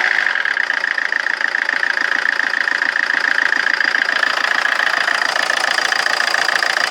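An uneven diesel clatter at idle, roughly three or four knocks a second with a hard metallic edge; the engine runs rough.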